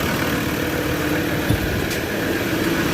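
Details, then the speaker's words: Ford Ranger 3.2 diesel idling after XADO engine treatment for power loss and low compression; smooth even low rumble, no knocks, misses or puffing, no blow-by, quiet and very smooth. "tahimik na yung andar, very smooth."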